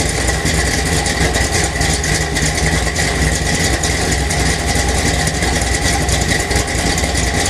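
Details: 1977 Chevy Silverado K10, 406 small block, Holley 750 double pumper, Crane Energizer 302H cam, Dynomax headers, Flowmaster exhaust, MSD billet distributor: lumpy, uneven idle with loping exhaust pulses instead of a smooth run; rough idle.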